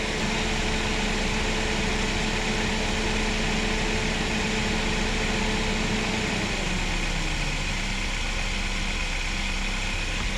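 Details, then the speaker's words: Chevrolet Spark/Beat radiator cooling fan, engine running: fan hums at high speed, then winds down and stops instead of dropping to low speed; resistor (GM 96656660) stays cold, so the low-speed resistor has failed. "ahí está Ya se está deteniendo el ventilador se supone que ahí debería de quedarse en la baja pero no lo hace"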